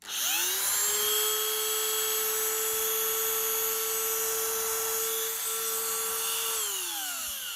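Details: Dremel 3000 multi tool, water-damaged with a seized shaft, after repair with the bearing taken apart and oiled and a grinder bit fitted: spins up to a steady high whine, holds evenly, winds down smoothly, no grinding or rattle; runs healthy.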